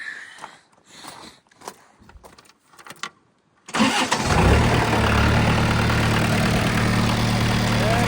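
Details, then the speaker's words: Case D40 tractor diesel started after its power steering hoses were replaced and refilled, run briefly with the water not hooked up to check for leaks: it cranks, catches and settles into a steady even idle with no misses or knocks. "so far so good. Don't want to run this very long because I don't have the water hooked up."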